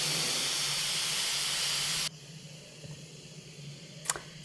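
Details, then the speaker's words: Instant Pot after a 25-minute meat cycle, quick release switched from sealing to venting: loud even steam hiss for about two seconds, then cuts off sharply; normal pressure release. "all we do is switch it from ceiling to venting and that's why I use a potholder it is very hot"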